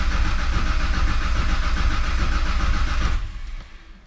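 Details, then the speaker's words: Nissan Skyline R33 with freshly rebuilt big-turbo engine (CP 8.5:1 pistons, Eagle rods, aftermarket oil pump), cranking to build oil pressure before first start: fast, even cranking about 3.5 beats a second without dips; full compression. "and i will say too that this thing sounds really good right now it's cranking on full it's not dipping like it was before so let's let so that lets me know that we got full compression"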